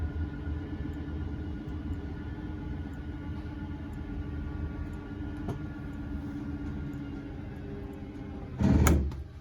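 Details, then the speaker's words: 2013 Prime Time Avenger 33BHS travel trailer rear slide-out extending: a steady low motor hum for about eight seconds, then a short loud clatter and clicking as the room reaches full travel; normal operation, button released at the click. "Then you can do your second slide. Again, just holding the button. And then as soon as you hear the clicking, you're going to let off the button."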